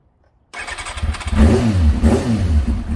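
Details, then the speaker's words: Kawasaki ZX6R J2 four-cylinder after carb rebuild with new main jets, needle clip adjusted and carbs synchronised: starts at once, smooth even quick idle at 44 degrees, set slightly below Kawasaki's 1300 rpm spec; healthy. "That sounds nice, it's at 44 degrees. Kawasaki do say to have it at 1300 RPM."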